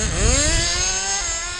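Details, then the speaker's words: Kyosho FW05 nitro RC car after rebuild with new plug, low-speed needle leaned and kept slightly rich: small engine screams up then drops abruptly about a second in; two-speed upshifting too early. "shifting a little too early too"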